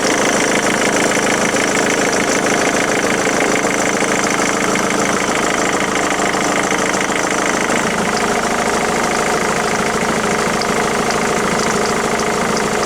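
Steady diesel idle with a fast, fairly regular ticking clatter running through it, roughly three per second; an odd noise, cause not yet pinned down. Cause suspected, not confirmed.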